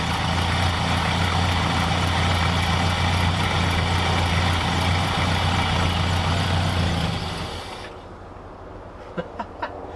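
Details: 1966 Ford F250 carbureted V8, after the fuel tank was reinstalled and the float bowl hand-filled to test the accelerator pump: a steady low rumble holds about seven seconds, then sags and dies as the engine stalls; cause suspected, not confirmed.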